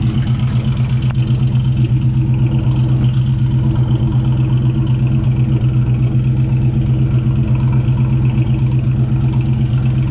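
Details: 1999 Ford Mustang GT with Nemak engine, newly built, first run: loud steady low rumble pulsing about four times a second, no ticking or knocking; normal idle with about 70 psi oil pressure; transmission line leak noticed.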